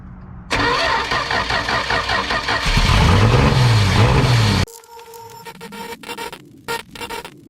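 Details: 1971 Dodge Dart sitting for years, fresh battery: brief crank, then engine catches and runs loud and fairly steady about four seconds before shutting off.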